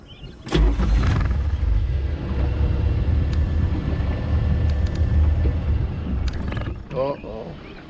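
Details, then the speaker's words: Old Mercruiser 120 sterndrive boat on its water test at about 5000 rpm, doing laps: a deep, steady roar holds strong and even at high revs under load; the engine sounds healthy pulling the boat. "now the boat is ready for its water test we were able to get it up to 5000 rpms and get a pretty good weight going did a couple laps and headed back in"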